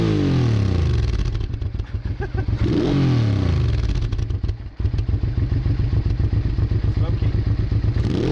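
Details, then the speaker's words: Honda Bros/Hawk GT 650 (late-80s V-twin), warmed up over 10+ minutes, camera held near the exhaust: lumpy idle beat with a few quick blips rising and falling cleanly; even, healthy exhaust note. No coolant leak found. "I'm gonna hold the cap near the exhaust it's always a tricky thing is that when you try to record the exhaust sound yourself let's have a go"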